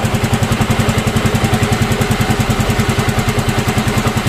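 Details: Yamaha Mio M3 scooter that had a rough engine noise, now idling evenly after valve clearance was checked at TDC; firing pulses about three per second, no knock or tick; normal idle.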